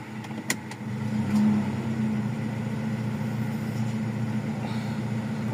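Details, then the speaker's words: Toyota Revo 1RZ petrol engine after repair of a cylinder 4 misfire (weak spark plug, injector pulse checked) and idle adjusted down from about 1,000 rpm: steady, even, smooth idle with no misses; idle-up still works. "okay so ayun gumagana pa naman yung idle up nito. So ayos pa lahat."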